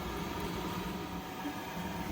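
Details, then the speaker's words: Jandy JXI gas pool heater after pressure switch replacement, heater and pump switched on: even rushing blower over a low steady burner rumble, no flutter, cycling or rattles; heater fires immediately, flow error gone, normal running. "Heater just came right on, you can hear that."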